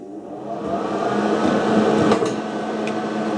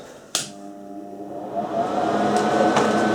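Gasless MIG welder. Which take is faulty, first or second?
second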